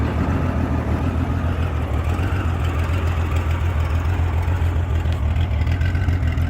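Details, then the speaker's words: 1989 Honda Goldwing GL1500, fully warm, after new timing belts and a carburetor cleaning: low, lumpy idle pulsing unevenly about three beats a second. It also surges on the highway and tops out near 140–150 km/h; rough idle, cause unknown. "It's plenty warm. I know it's cold right here right now, but it does this even in the summertime."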